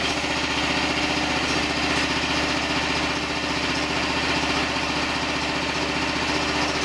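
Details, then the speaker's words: Diesel mini excavator driving a salvaged hydraulic pump used as a motor for a DIY mower, with no load: steady chug with hydraulic hum that pulls down slightly; the motor restricts the flow, and the owner may need to bypass some of it. "Well, it definitely restricts the flow some. Even, you know, there's no load on it or nothing."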